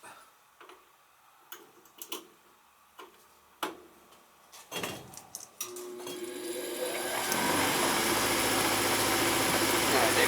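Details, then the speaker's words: Old oversized Ruud gas furnace on a no-heat call, inducer motor starting after reconnecting the Firomatic, before the igniter glows: a few clicks and taps, then the motor spins up smoothly to a steady whir; normal inducer startup. "the inducer motor then it should glow it should glow in a minute it's glowing then it should fire"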